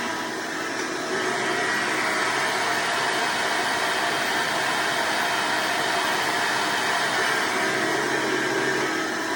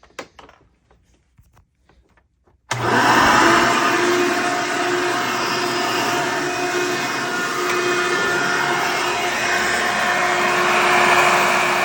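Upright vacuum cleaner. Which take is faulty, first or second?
second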